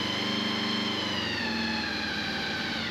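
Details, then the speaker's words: Honda VFR800 after final maintenance items including a brake fluid flush, started cold with the extractor on and left to warm up: smooth, even idle with steady buzzy tone, no knocks or misses; normal cold idle. "let's see what the bike sounds like I'm just going to switch the extractor on sounds pretty good so far I'm just going to let it warm up"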